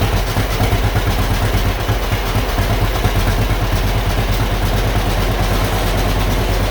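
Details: John Deere B two-cylinder magneto tractor, sitting many years, first run after freeing the engine, cleaning the carburetor and adjusting clutch and ignition; idles steadily with a slow, deep, even putt-putt, petcock hissing, no knocks or grinding.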